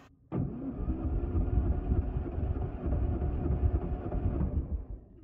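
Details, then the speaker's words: Classic Mini 998cc Mark III, towed in as a crank no-start with smoking: starter spins about four seconds with even chuffs; compression 115, 115, 125, almost 130 psi at high altitude, good. "all right so this seems okay it's a little low on cylinders one and two but across the board they all seem to have good compression numbers"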